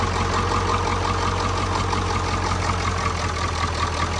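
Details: 1991 Ford F-350 freshly swapped to a 7.3 Powerstroke diesel, first start after an initial no-fuel crank; it settles into a steady, even diesel clatter at idle with no misses or knocks. Normal idle.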